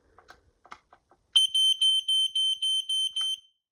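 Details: Vintage smoke alarm on test: a few soft clicks, then a loud high shrill beep pulsing about seven times in two seconds at steady pitch; alarm sounds normally.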